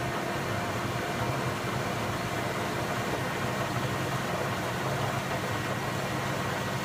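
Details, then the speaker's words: Indesit 092 washing machine on Cotton 95 descaling/maintenance wash, no load, spinning at 380 rpm: steady even rushing hum with low drone, no knocks or scraping; empty drum spinning normally. "That noise though. Yeah. What is it, 400? 300? 380. Wow. Record breaking for the slowest machine ever."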